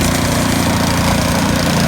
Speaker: What a beautiful snow stream.